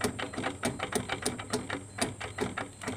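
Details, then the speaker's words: Carbureted Honda Beat scooter, about 2010–2012: rough, crunchy clicking and grinding from the CVT case as the rear wheel is turned by hand, from a worn bearing. "nah itu keluhannya motor ini berisik di bagian CVT nya guys"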